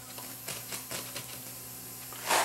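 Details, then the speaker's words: Toshiba SA7150 vintage 150 W-per-channel receiver during restoration: irregular scratchy crackles over a faint steady hum as the balance control is turned, from a dirty potentiometer that needs cleaning. "okay so here's the balance control this noisy you can hear"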